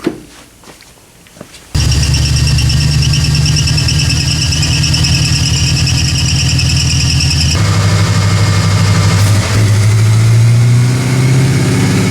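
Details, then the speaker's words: 1979 AMC Spirit AMX, budget-rebuilt factory 304 V8, Brawler carburettor, T5 5-speed, warmed-up wide-open pull on DynoJet: heavy pull then a big pop and falter, air-fuel up to 16:1, power lost; lean stumble, needs more jet. "that's a lot more lean that was a huge lean pop yep lean stumble"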